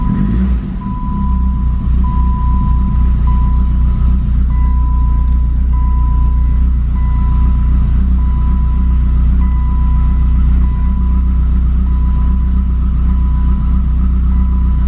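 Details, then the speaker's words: 1988 BMW E30 M3, cold start after sitting six months: loud exhaust drone holding an even idle, no knocks or misses, chime beeping in background; oil pressure up, normal healthy idle. "Just pop the hood. All seems well. It's got a really loud exhaust, but it sounds good."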